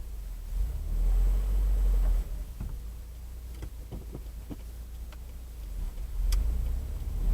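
A few dull, uneven low clunks stand out over a quiet background; something is knocking loose, but the source isn't clear. Cause suspected, not confirmed.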